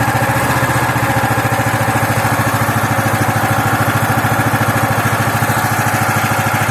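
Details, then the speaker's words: Loncin 15 hp single-cylinder engine, first start after filling oil and petrol, started on the second try; even quick putter at steady fast idle, no knocks or misses; normal running. "Ланчин 15-сильный, первый запуск. Масло залили, бензин залили. Завелся со второго раза."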